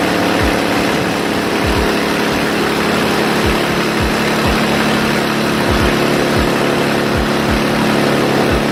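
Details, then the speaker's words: Car running with exhaust leaking at the headers after the fiberglass was removed, cold start: loud exhaust with a sharp, uneven puffing tick about four per second from air leaking at the header joints. "so as you can kind of see it's kind of loud but at the same time it you can hear the air leaking that's the only thing I actually don't like the sound actually is pretty good at least to me it was just the air leaking"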